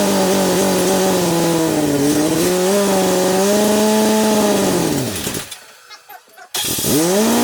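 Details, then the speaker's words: Chevy S10 swapped with a 3.0L turbo boat engine during break-in, around 2000 rpm: steady high drone whose wavering tone sags to near silence, then restarts. The belt threw off the alternator because its bracket is out of alignment and the belt runs curved; nothing hot. "the belt just threw off the alternator it's uh hauling ass nothing hot"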